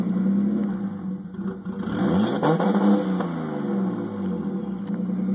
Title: RB20DET rough idle